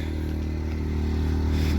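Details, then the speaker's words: New Predator 2000 inverter generator plugged into a camper at a rest area, running the lights: a smooth, even low drone with steady pitch and no misses or knocks; normal running under load, quieter than the semi trucks. "a little generator you can't see it plugged into the camper real quiet it's actually quieter than the semi trucks i love this generator"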